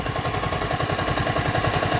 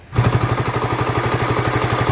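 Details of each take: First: Yamaha Vixion (old model) hot idle after 10 minutes warm-up, following replacement of water pump seal and bearing; steady, even pulse with no squeal or chirp from the pump: normal hot idle. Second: Yamaha Vixion (old model) daily bike idling before repair; regular clatter about four times a second over the engine from water pump bearing, noisy again only when hot, months after bearing alone was replaced; seal and bearing to be renewed.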